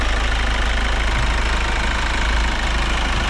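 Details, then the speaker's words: Kia Sorento diesel rechecked for noise after new adjusters, EGR and turbo cleaning: steady even idle with low rumble, no sharp ticking; settled and healthy. "Yan, tingnan ulit natin kung may maingay. Tahimik na siya mga bossing."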